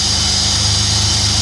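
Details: Holden Commodore V6 in a CF Bedford van idling after maintenance (new coil pack, leads, plugs, fuel injectors, fuel pump, fuel regulator); steady, even idle with smooth low beat, no misses, knocks or ticks, healthy and settled.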